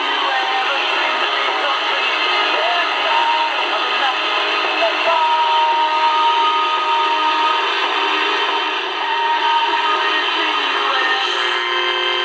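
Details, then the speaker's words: Kit-built radio on a 9-volt home-built power supply: constant buzzy hiss with a comb of steady whining tones swamps the radio output; the interference comes from the power supply and does not register on the milliamp meter. "that's the noise i'm talking about right there so that's obviously from the power supply it's not even registering on the milliamps"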